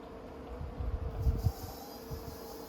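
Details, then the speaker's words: 12-valve Cummins out of truck, hand priming before first start with empty fuel system: thin steady squeal of the overflow valve under slow primer pump thumps, normal sign fuel has reached the injection pump. "you can actually hear the overflow valve squealing and that's a good indication that you've got fuel there"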